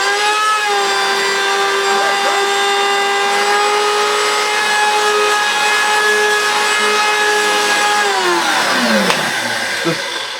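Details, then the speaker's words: Retro Hoover Turbomaster U5078 vacuum, first run after decades unused, fan missing: steady high motor whine with faint rough rattle, then winding down, with burning plastic smell; suspected dry, seized plastic bearings, not confirmed. "all you smell burning plastic which is probably the bearings somewhere spinning around themselves"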